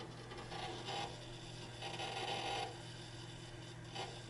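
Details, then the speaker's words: HP Pro 3120 SFF PC, 500 GB hard drive during first Windows boot after cloning, searching for drivers: rapid irregular scratchy chatter in bursts over a low hum, the noisiest hard drive seek noise the owner has heard. "And it's a 500 gigs hard drive that is making all that noise."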